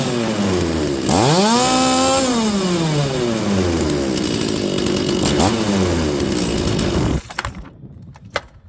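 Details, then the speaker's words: Stihl 036 chainsaw, full-throttle four-stroke check: snaps up to full throttle and holds with a burbling blubber before dropping off, showing the carb setting is right; starts in one pull, healthy. "friends you hear it you hear it blubbering there"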